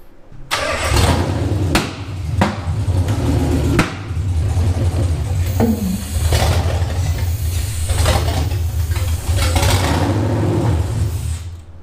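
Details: Nissan VH45DE V8 coupe, first start after engine fix: brief cranking, then it catches quickly and settles into a steady, deep rumble with no misfire stumble; a normal start.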